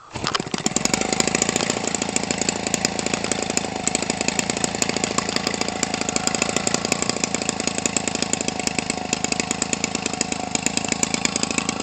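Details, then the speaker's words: Homelite 25cc two-stroke converted for RC use, nearly new, swinging an 18.6 propeller. Strong compression lets it catch almost immediately on a hand start, then it settles into a crisp, steady, high-pitched buzz with even firing: a normal start and run. "This thing here is gobs of compression. Hear that? That's why it's so easy to hand start."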